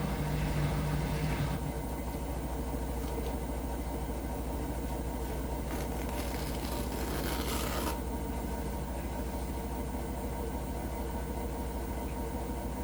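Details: Hotpoint washing machine making a weird noise: low, steady rumble with a rough, repeating beat around three per second underneath. The cause is unknown.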